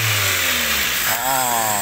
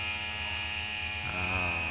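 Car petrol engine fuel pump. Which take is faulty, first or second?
second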